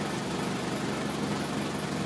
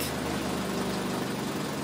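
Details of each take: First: 2003 Toyota Corolla with intermittent P0301 and power loss, idling after swapping coil and spark plug from cylinder 1 to 3: uneven stumbling pulse, misfire still on cylinder 1; injector suspected next. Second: 2003 Toyota Corolla after repair of an intermittent P0301 misfire caused by a bad injector: smooth, even idle with a steady low drone and no skipped beats; misfire counts all zero.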